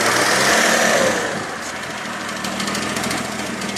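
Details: Freshly rebuilt Mitsubishi 3000GT engine at quiet idle: light, fast, even ticking, about three to four taps a second; source of the tick unidentified.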